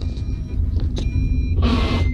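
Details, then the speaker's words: Petrol car driving in fourth gear with clutch fully pressed, reverse attempted at speed: deep rumbling drone with short rasping burst, mic near gearbox; gears clash, reverse won't engage, indicating gearbox damage. "और ये जो आवाज़ आ रही है तो इसका मतलब gear box में कुछ ना कुछ नुकसान हो रहा है।"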